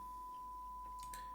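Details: VDriveMotion custom motor controller running rotating high-frequency injection (HFI) for rotor position detection, before spread-spectrum modulation: steady high whistle around one kilohertz, unchanging, as the injection signal sings through the motor as coil whine.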